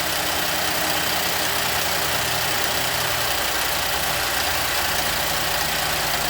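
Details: 2012 Chevrolet Traverse, no start after fueling with code P0496 (evap flow during non-purge); after the repair, idle with electrical connections unplugged: steady, even, hissy top end, no knocks or misses; normal idle.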